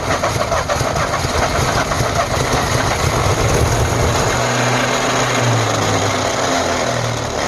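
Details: 1948 Ford F5 bus abandoned 25 years: slow, labouring starter churn with an uneven chug, turning over but never catching; owner suspects a weak battery, considers running a charger while cranking; an earlier attempt backfired. Extended cranking, no start.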